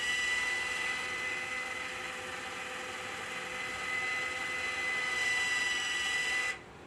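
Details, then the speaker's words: 5900-BT control valve on a Pro-OX iron filter at start-up, manual regeneration triggered via app: steady thin motor whine for about six seconds, then clean cutoff as the valve drives into backwash; normal valve cycling. "We're going to go ahead and hit regenerate now. Hit OK. And you can hear the valve go into the backwash."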